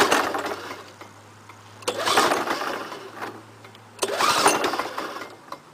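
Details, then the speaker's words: Lawn-Boy 5127 mower, first start after 10 years in a shed, fresh gas, full choke: three pull-cord cranks about two seconds apart and it never fires; the owner suspects no spark from a fouled spark plug. "oh I think she has no spark oh yeah definitely one fouled up spark plug"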